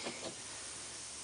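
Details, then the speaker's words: 2005 Bryant 661CJ030 R22 heat pump, not cooling, only 72 psi: a steady, thin, high-pitched hiss from a pinhole rubbed into the 3/8 pipe by a small tube, with an oil stain in the drain pan; refrigerant leak. "the hissing so I was feeling around and uh I found it"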